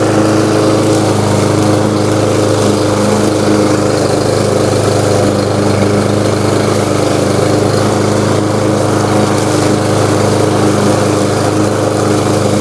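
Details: New Lowe's M230 163cc self-propelled lawnmower cutting tall grass in mulching mode at about a 3.5–4 inch height: steady, even drone holding speed, no misses or knocks; running healthy.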